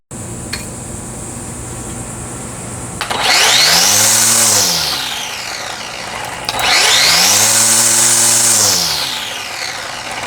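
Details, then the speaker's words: Black+Decker 20V string trimmer after replacing worn gear and spindle N498091 that caused wobble and grinding bearing noise: two smooth spin-ups to a steady high whine and back down, no grinding or wobble; normal trimmer running. "No more wobble, no more grindy bearing noise."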